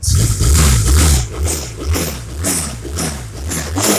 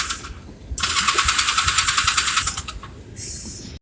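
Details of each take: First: Small engine, after fuel tap turned back on (has slight fuel leak, battery needs charging): revs up and settles into a strong, even beat without misses; running normally. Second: Small engine with weak battery and slight fuel leak, run the day before: pulses unevenly about three beats a second, surging, sagging, nearly dying, because the fuel tap was turned off; fuel starvation.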